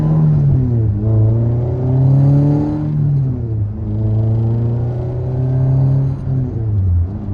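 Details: 1988 Honda CRX Si after swap from a failed B16A to a B18C Type R engine and transmission: smooth revving up and down with no clicking or gear whine, quieter than before; slight shifter rattle, possibly from bushings, transmission healthy.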